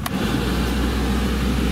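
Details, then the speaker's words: 2004 Ford Explorer, six-cylinder timing-chain engine, 250,000 miles, just started; even, steady low rumble with no ticking, knocking or stumble. Normal idle. "now it does have 250 000 miles on it let's see how it starts up starts up okay"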